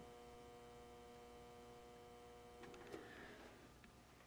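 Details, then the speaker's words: Modified SWTP Tigersaurus amplifier, noise test with input levels fully down. Faint, steady mains-pitched hum with a few fixed higher tones and no rattle, from the power transformer, louder than the speaker's very faint buzz. Normal transformer hum. "I mean even sitting back you can hear the power transformer it's not crazy loud or anything you won't hear it playing music but it's a lot noisier than anything that comes out of the speaker"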